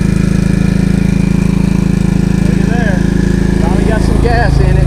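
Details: Ditch Witch trencher with engine swapped from another frame, fuel recently purged of water: small thumps steadily about four per second, then sags and roughens when the hydraulics load it, bogging down.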